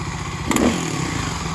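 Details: Kawasaki KLX250S with 351 big bore kit, warmed up; a quick throttle blip from idle brings a brief clattery rattle over the single's bark, then settles; source unclear.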